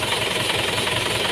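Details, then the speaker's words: Car alternator test: the engine idles evenly on alternator output alone, and the sound changes when the battery is reconnected, showing it is charging the battery. Normal idle with alternator charging. "Nah, sekarang kita pasangkan kita sambung apakah ada perubahan suara. Nah, ada perubahan suara itu artinya pengisian dari aki itu atau dari alternator itu mengisi langsung ke akinya atau ke baterainya."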